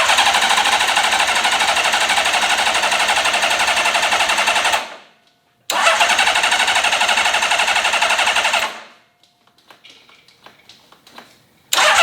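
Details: Honda CBX inline-six, first start attempt in 20 years after full carb rebuild: fast, even cranking at about four beats a second that never catches, then stops; cranks but won't start.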